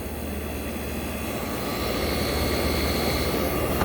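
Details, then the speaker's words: 1965 Fedders Weatherwheel air conditioner on high cool, with the microphone at the Tecumseh AJ compressor (model AJM 1594 IRA). A steady low hum under an even whir, with no knocking or rattling: the compressor is running normally. "Here's that Tecumseh AJ you guys, everyone likes. Wow. Look at that, guys. That sounds fantastic."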